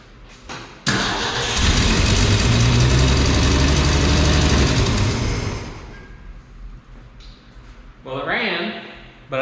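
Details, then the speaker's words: 1965 Ford F100, sat 13 years, fed from gas can via rubber line to fuel pump, carburetor primed through vent tube: catches and runs rough a few seconds then dies; fuel likely not yet up to carburetor. "I don't think it's full fuel up to the carburetor yet"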